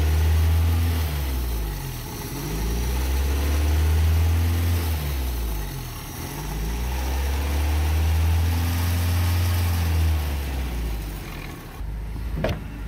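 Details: 1987 Toyota pickup 2WD with 22R engine that won't idle; low idle sagging and surging every few seconds, never steady, barely holding; rough idle, checking for vacuum leaks, carb, cap and rotor.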